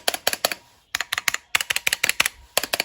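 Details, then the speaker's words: Drop ALT keyboard with stock stabilizers, unmodded, mainly spacebar: bright keystroke bursts with a faint metallic ping after some presses. "listen to the stabilizers that ship with the drop vault see we can hear a little bit of pinging noise in there right"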